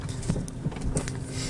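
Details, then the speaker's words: Renault Zoe driving over a dug-up dirt road: dull low thumps about three a second over road rumble, no engine noise; several workshops found nothing, a mechanic suspects worn stabilizer links. "Ми проїхали буквально 100 метрів він то послухав каже напевно то стойки стабілізатора"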